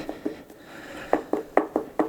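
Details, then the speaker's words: Bladetech blades fitted in True TF7 skate boots: sharp hollow clicks as the blade is worked by hand, the loose blade rattling with visible play in its holder; the owner doesn't know why they fit so poorly. "And this one is pretty bad. Like you can see the play. or hopefully you can see it play. I'm trying to, you can hear it rattling around."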